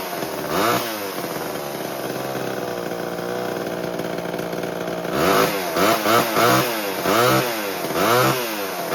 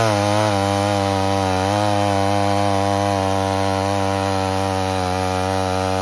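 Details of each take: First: 1970s Homelite XL12 chainsaw first run after years of sitting: rough uneven two-stroke idle, throttle blips sag and stumble before picking up; running slightly lean and bogging at first, richened after adjustment. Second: 1978 Homelite XL12 chainsaw that had sat for years, cutting firewood with a strong, steady two-stroke howl that holds its pitch under load; clean, even cutting with no bogging.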